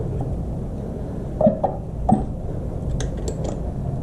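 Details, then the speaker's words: Honda CRF450R that won't run, turned slowly by hand with an Allen wrench at the crank: dry metallic scrapes and squeaks, no firing; something rubbing inside the top end, suspected badly damaged motor, timing unchecked. "so let's see if we can even crank this thing and that does not sound good Jesus what does that sound that does not sound good what is that sound"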